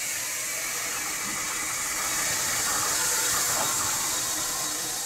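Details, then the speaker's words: Steam locomotive boiler water injector: steady high-pitched rushing hiss with no sputter or blowback; injector picked up and feeds water normally, successful start. "there's one that it did pick up and is working now let's listen to this here's a successful start"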